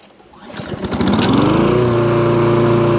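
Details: Toro Recycler lawnmower, restarted after a stop caused by the bail (dead-man) brake handle coming off, not the engine fault: catches, builds up quickly and settles into a steady, even run with no misses or surging; normal running.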